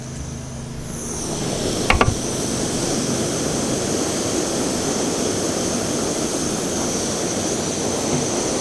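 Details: MSR WhisperLite International stove on shellite/petrol, copper pipe hot and the burner glowing red after priming: a steady, even roar with no sputtering or surging after the first second; the flame is burning cleanly, fully vaporised.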